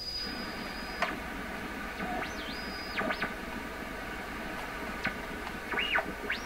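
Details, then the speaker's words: PYE 39HC shortwave receiver on first test after replacing a large electrolytic capacitor and other components, tuning around 17 MHz and lower bands. Hissy crackling, judged not atmospheric, with heterodyne whistles sweeping as it tunes. Noisy reception; owner suspects an alignment issue. "Maybe this is all alignment issue. Maybe I messed something up here. I don't want that heterodyne tone."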